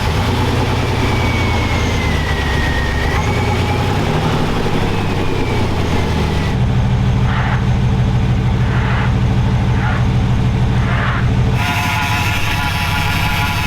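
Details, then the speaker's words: Scrapyard Chevy V8 with a performance cam, just started after vacuum-filling the cooling system: deep idle with steady slightly loping beat from the cam, even with no knocks or misses; running good, no major issues. "it's got a cam in it so it's a little seems like it's a little rough but that's what we asked it for it's running good no major issues"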